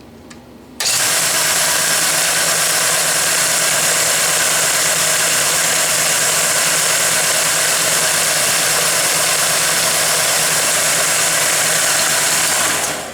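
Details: Restored Mead band sander, after the swing arm was fitted with the belt clear of the platen: an even, steady whirring rush with a low hum underneath, no rubbing or ticking; running smooth and healthy.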